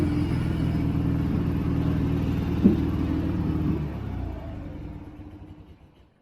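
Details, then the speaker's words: 1965 BMW R50/2 twin after carburetor cleaning, started on second kick with no choke after about three years sitting: steady, even low thump with no misses, then fades smoothly away; running normally. "This thing started on the second kick. Wow."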